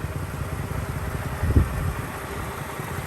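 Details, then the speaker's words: 2003 Mercedes-Benz E500 5.0 V8, rear-wheel drive, 162,000 miles, idling with a light, fast tick and clattery burst; owner attributes ticking to the catalytic converter area, suspected exhaust leak, unconfirmed. "Just that annoying ticking coming from the catalytic converter."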